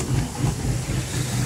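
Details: Boat engine after replacing the starboard raw-water impeller, fitted with dish detergent, to cure steam from the starboard exhaust; idles with a deep, steady, even rumble and no stumbling or knocking, running normally after repair.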